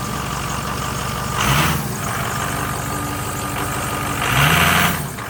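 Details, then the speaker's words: 2006 Ford F350 6.0L Power Stroke diesel after new Motorcraft fuel pump and air purge: steady idle with even clatter and brief throttle rises, sounding completely different and healthy; previously had no power. "that sounds completely different that sounds good"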